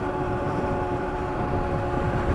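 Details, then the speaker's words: Kawasaki KLX300 with new chain and 47-tooth rear sprocket, riding on pavement: a steady hum with a droning howl over road rumble at constant speed, normal for Dunlop Geomax AT81 off-road knobby tires. "That's the sound of AT81 Dunlop Geomax off-road knobbies on pavement."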